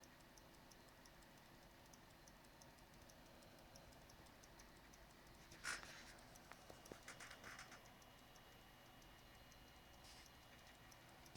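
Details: XFX 450W Pro PSU, after fitting an R7 250X GPU, gives a faint, quick, steady ticking over a quiet hum; owner suspects the PSU is faulty and cannot handle the new GPU; cause unconfirmed.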